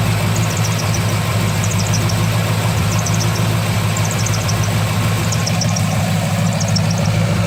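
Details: 2003 Corvette Z06 V8 at idle: bursts of sharp high-pitched chirps about once a second from belt area; new main belt quiet at first, squeak started 30 seconds later; main tensioner fine, AC belt, idlers, harmonic balancer unchecked.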